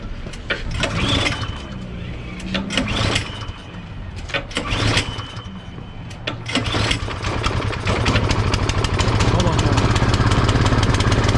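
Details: Craftsman 24-inch electric-start snow blower, long-sitting, after carburetor service: on choke with primer pumped, a few pulls and sputtering catches, then a steady, even small-engine putter; running properly now.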